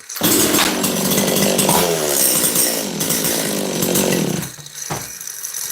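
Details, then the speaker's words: Makita DCS540 chainsaw after half a turn more high jet and low jet set slightly rich of middle, checking restart: strong, steady two-stroke scream revving cleanly without stumbling or bogging; running normally after tuning. "I gave this thing a half a turn more high jet and suddenly it started running."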